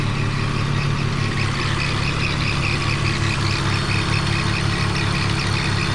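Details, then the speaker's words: 2001 BMW E46 idling after an engine flush and oil change. The earlier ticking is no longer heard, but a faint chirpy squeak from an accessory pulley remains, two or three times a second. "Right now one of my pulleys is actually squeaking."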